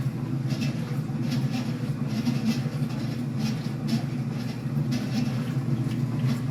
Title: Commercial top loader makes loud noise from the pulley